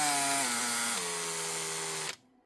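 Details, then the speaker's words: Makita 18V drill, about 2016: a high motor whine sags in pitch twice, then cuts out after about two seconds; the motor is burnt out ("cooked") but still worth replacing. "She's cooked, which can eventually happen. Can't even make that out, but it looks like something like 2016. Motor's gone, but still worth replacing."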